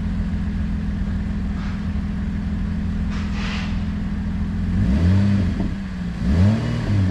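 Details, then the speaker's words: Car at a loud, low, rough idle swelling with each throttle blip, a coarse puffing note from a broken, leaking exhaust pipe. "Ito yung tunog ng Tambucho eh."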